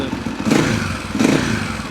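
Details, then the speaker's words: Husaberg 350 dirt bike after the carburettor-to-airbox hose was sealed and the air mixture screw adjusted: two quick, clean throttle blips, revs rise and fall crisply; responsive, mixture now well set. "Stumbles a little bit. That sounds pretty good. Sounds very responsive."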